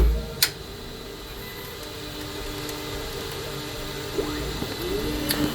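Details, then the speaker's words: Creality K2 Plus 3D printer cutter after adding 0.6 mm to cutter x-position offset, manual retract: motor whirs with sliding pitch then sharp, forceful blade snap; normal, complete filament cut. "I'll come over here, and it'll do its thing right here when it cuts, and you'll hear how much more forceful it is."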